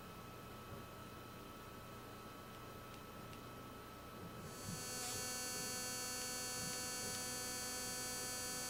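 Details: Speakers connected to an Apple TV: a low mains hum throughout, then a louder high-pitched electrical buzz cuts in when fast-forward is pressed or the main menu is opened; cause unknown.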